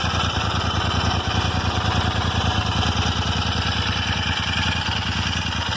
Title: Royal Enfield Interceptor 650 :: Random ticking noise in engine